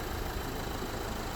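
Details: 2011 Renault Clio 1.5 dCi diesel with 226,432 km, in for a strange engine noise mostly when cold; after service work was completed: a short stretch of steady, even idle with a low constant rumble and no ticking or hiss. Sounds healthy.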